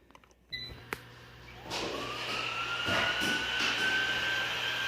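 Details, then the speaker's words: Eufy robot vacuum after a crayon was removed from the impeller housing that caused a loud noise: the motor spins up to a smooth, steady whine with no rattle or scraping; much better, normal running. "much better"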